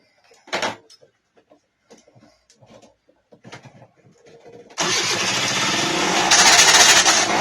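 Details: 1999 SYM Jet 50cc two-stroke scooter, previously non-running (no spark), after exhaust refitted and mixture adjusted: quiet clicks, then fires and holds a buzzy rising rev without misses; healthy running.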